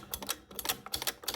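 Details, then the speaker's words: 1950 Rockettes woodrail pinball stepper unit, freshly cleaned with alcohol and still wet, spring removed: crisp, evenly paced mechanical clicks in quick pairs as it steps up freely now. "there's still a little alcohol, still a little wet, but the thing steps up very well now."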